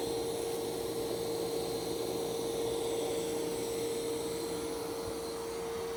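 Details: Roomba Plus 515 robot vacuum and mop combo during a normal cleaning run on a hair-strewn floor: steady motor hum with an even whine and brush rustle, no catching or grinding.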